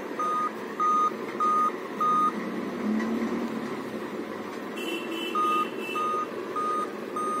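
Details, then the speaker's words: Dell Inspiron laptop at power-on with charger: clear high beeps in evenly spaced groups of five, about one every 0.6 seconds, pausing between groups; five-beep POST code, suspected dead CMOS battery, to be replaced to check if beeping stops. "ठीक है, ये 5 beeping आ रहा है। तो ये किस reason से आता है पता है ना, यही देखना है हम लोग को। तो मेरे हिसाब से ये सीमॉस बैटरी के लिए होना चाहिए, ठीक है।"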